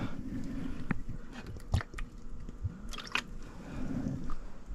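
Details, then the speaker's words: Trane heat pump with a newly installed condensate drain, water poured in. Irregular gurgles and sloshing glugs as it runs down to the trap without backing up, drain flowing freely. "Alright, good. It flows right down to the trap. Nice and easy."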